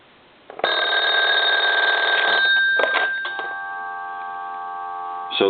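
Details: German telephone (converted and redesigned) at final checkout after repair: bright, steady electric bell rings a few seconds, stops cleanly and rings again on a ring cycle; ringer working properly, bell volume adjustable via squelch settings.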